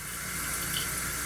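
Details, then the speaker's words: Toilet fill valve with the tank already full: constant hiss of water flowing in that never shuts off; the fill valve seal diaphragm is not sealing. "the water's coming in here this valve is not shutting off"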